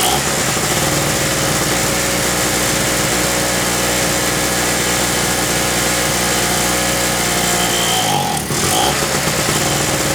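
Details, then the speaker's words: King Canada 950W (800W running) two-stroke generator, about 2 hp on mixed fuel, long-sitting and previously non-starting, first run after carb work: steady drone that stumbles and sags briefly with a little smoke; running a bit rough, spark plug suspected. "all right I just kick the Drago up and get a little smoke in here run a few folks a little rough but that plug might be carving up"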